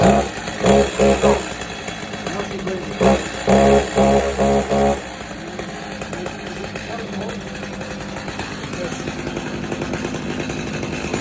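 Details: Stihl chainsaw on fresh gas, out of gear, started on choke/cold start and moved to run after the first chortle: a few sharp revving bursts as it catches, then a steady, even buzzing run; starts and runs fine.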